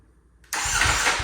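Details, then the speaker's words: Salvage Ducati Panigale V4S, first start since purchase after kill switch rewiring, run position found: silence, brief crank, engine catches at once into a loud, steady, even run; starts cleanly. "okay okay let's try this out it runs oh my goodness this is sick"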